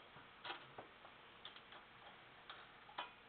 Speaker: you hear it I know it's it's faint but it's doing it it's pinging on its own